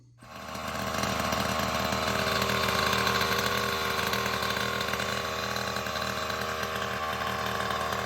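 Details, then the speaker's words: Goped with freshly rebuilt Primal Raminator OBR 47cc SS reed-case engine, TR/OBR kit, just installed, fuel return eliminated: catches within a second, then crisp, steady, buzzy two-stroke note with even firing; running healthy, sounds different from the former GP460. "I didn't do that on video, but sounds way different with this Reed case motor than it did when I had a standard GP460 with the full mod top end."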